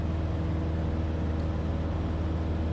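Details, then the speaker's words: Cessna 150 with Continental O-200-A on takeoff climb, carb heat tried and ruled out: steady low droning engine, even firing, no clear misses, RPM sagging 10 to 30 and worsening; power loss traced to failing resistor spark plugs. "At that point, I knew for 100% uh sure there's no carbise and uh this engine just does not feel right."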